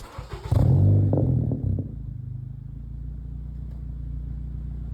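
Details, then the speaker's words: 2015 Honda Civic Si with Skunk2 MegaPower RR 3-inch catback exhaust after the rattle fix (bolt cut down, contact points checked): quick rev blip, then a deep steady idle burble with no metallic rattle; normal exhaust note. "oh yeah so this is just the final conclusion um it ended up working in order to fix the rattling issue"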